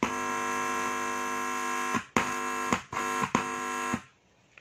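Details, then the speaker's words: Active speaker amplifier with self-popping/crackling fault, driver stage tested: silent when plugged in, bright buzzing hum in bursts each time the input is touched; driver section normal, as a healthy amplifier should sound. "Jadi ditancepin dia tidak bunyi apa-apa. Lalu kalau dipegang input, nah dia berbunyi."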